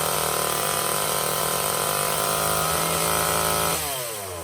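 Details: Old Craftsman chainsaw after Walbro carb clean/rebuild and new fuel lines, first run after start: high, steady buzz at speed, then revs drop cleanly toward idle while burning off old oil; small two-stroke running healthy.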